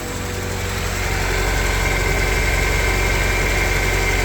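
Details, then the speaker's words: EF Civic sedan engine started after a snapped timing belt: steady idle with a light, fast tick from the top end, about four per second; owner suspects rocker arm ticks rather than valve clearance. "Sounds a little ticky. Yeah, sounds like I could use another valve stem adjustment after a couple 100 miles. That doesn't sound like valve stems clicking at all. That sounds like rocker arm ticks."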